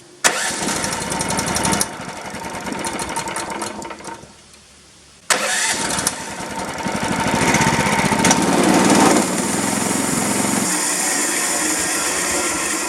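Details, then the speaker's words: 13.5 HP Briggs engine after carb removal, compressed-air and spray-cleaner cleaning: catches, runs briefly, dies, restarts and hunts unevenly, won't idle off throttle; something still blocks the carburetor's minuscule idle passage. "Guess what, guys? We have experienced a failure. There's something still in that carburetor. Can you believe that?"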